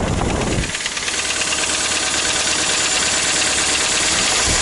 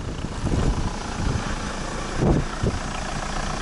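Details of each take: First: Toyota Rush with a 3SZ-VE engine. A hollow, regular knock of about three per second sits over a rough idle: piston knock (piston slap). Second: Toyota Rush 3SZ-VE, engine rebuilt for a knock a year earlier, cold start at about −20 to −23 °C. It starts well and the oil pressure light goes out at once. The cold idle is steady and slightly raised, with no knocks or ticks; a normal cold idle.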